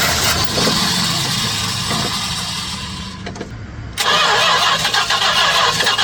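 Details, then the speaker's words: 1967 Chrysler Newport, sitting for years, started on fuel squirted down the carb with no fuel yet drawn from the tank: it cranks, fires, sags, then keeps running rough but continuously, with a vacuum line needing a fix. "I like how it fired off there for a second. A little more. Whoa, way too much. All right. That's a starter. It runs."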